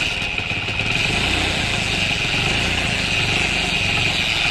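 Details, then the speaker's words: Bike engine running after engine repair/rebuild with a harsh, steady high-pitched gear chatter over idle; the noise stops when the clutch is pressed. The fault is in the engine but will be fixed from the clutch side; clutch-side gear timing noise. "ठीक है तो यही problem है engine band कर दीजिए इसकी colours दबाने पर कुछ हंसना किस की आवाज खत्म हो जा रही है"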